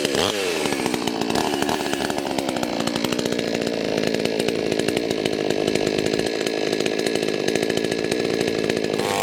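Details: Chainsaw that would not start runs strong and steady at high revs, dipping and recovering smoothly while cutting wood, after the fix of draining the fuel, starting with choke on, then refueling; normal running under load.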